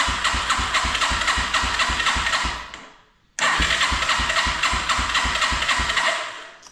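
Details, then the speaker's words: 1987 Yamaha TW200 no-start, contact cleaner in intake, choke off: starter cranks the single at steady four-per-second chuff in two bursts, never catching; slight hit at start, may not be a fuel issue. "All right, okay. May not be a fuel issue. It kind of hit there at the beginning though."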